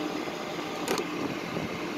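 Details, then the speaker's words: Electric 1-ton truck, 300 V system with 200 Ah batteries, battery charger switched on: small charger cooling fan gives a steady, even whir over a faint hum. Normal. "Yeah, hear the little fan, the button's on. We're going to leave it on. We're going to go ahead and charge this thing up."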